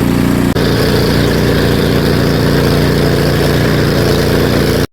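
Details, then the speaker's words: Craftsman 24-inch snow blower that wouldn't start due to water in the fuel, after cleaning and refilling with non-ethanol gas: small single-cylinder engine holds a steady, even chug with no misses, surging or knocking; runs well. "I'd say it works pretty well"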